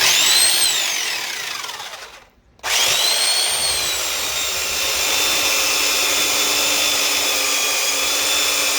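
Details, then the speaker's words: Old Black and Decker U-144 belt sander after repairing its damaged gears, which had caused loud grinding: a steady high motor whine that winds down, restarts and settles to an even hum with no grinding noise. "let's put this dude through the ringer give him a test drive no more grinding noise"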